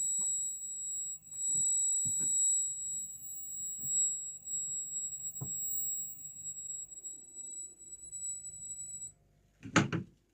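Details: CRT tube TV switched on: a steady, piercing whistle near 15-16 kHz at the top of hearing with a few faint clicks; the typical tube-TV line whistle, heard as normal.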